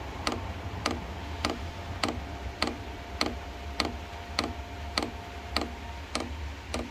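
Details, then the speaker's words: Cheap Chinese diesel heater for a shed at startup, running diesel with maybe 10% waste oil mixed in: crisp, evenly spaced dosing-pump ticks about every 0.6 s over a low fan hum; normal fuel pump ticking. "so the little fuel pump is going now"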